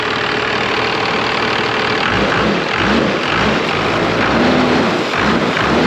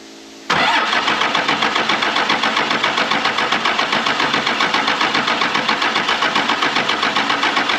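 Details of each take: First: 1996 Dodge 2500 12-valve Cummins that sat 15 years, just started after the cracked injection lines were bled and tightened: after a couple of light blips it settles into a steady, clean idle with no knocks or misses. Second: 1996 Dodge 2500 with a 12-valve Cummins diesel, sitting 15 years, cranking with the throttle worked: the starter spins steadily at about four compressions a second and never fires.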